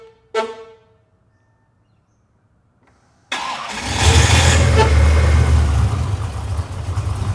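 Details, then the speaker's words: Holden VH with a Bluey keyless remote start that has a 1.5 second start time; starter whirs, engine catches in under a second, yet the starter keeps spinning about an extra half second before a steady rumble; owner hopes to reprogram. "but sometimes this starts in like under a second so it runs the starter motor for like an extra half a second and a bit it's like bit annoying"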